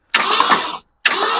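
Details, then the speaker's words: 1966 Ford Ranch Wagon ambulance, long abandoned, with an engine that was previously seized: two even bursts of starter cranking with no binding or drag, and the engine now spins freely. ">> Okay. It's spinning freely now. >> It It's a light up. >> Oh yeah, it's spinning nice and freely now. Oh yeah, >> we're spinning nice and easy."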